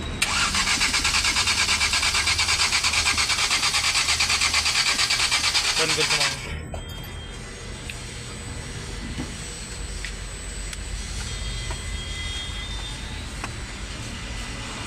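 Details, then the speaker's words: Maruti Eeco BS6 with company-fitted CNG, long starter crank after DTCs were cleared: fast, even cranking with no catch or firing at all, and no DTC sets; cam sensor plugs swapped; crank no start. "यहां पर लंबा cell खींच र गाड़ी start नहीं हो रही DTC भी कोई बन नहीं रहा"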